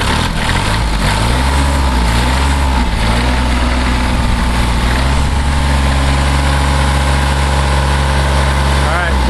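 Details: 1981 Kubota B6100 four-wheel-drive diesel tractor revved on the foot throttle; steady clatter rises smoothly in pitch then settles back evenly, a normal healthy diesel rev.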